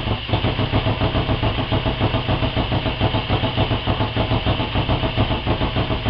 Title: démarrage 250 Honda (moteur 350 CB) après réfection moteur